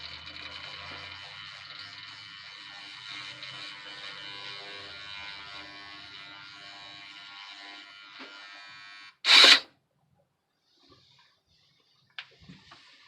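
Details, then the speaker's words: Chevy Blazer/Envoy-type truck with 4x4 lights flashing and the transfer case seemingly stuck, in neutral with the 4WD switch pressed. A thin, buzzing electric whir from the transfer case shift motor runs about nine seconds and ends in a clunk. The motor is kicking on but sounds rough. "so it sounds like it's kicking on so kind of sounds kind of rough"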